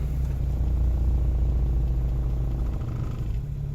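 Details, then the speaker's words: Geo Metro engine rebuilt in place (honed, re-ringed, rebuilt head, new rod bearings), cold start; an even, low drone with a quick, steady beat and no knocks or misses, idling high, which the owner suspects is due to the cold start; it later idles back down. "Man, cranks right up and sounds good. Still does have a high idle. I don't know if it's because of cold start or what the deal is."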